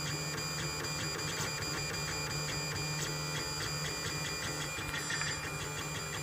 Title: Lulzbot mini clicking sound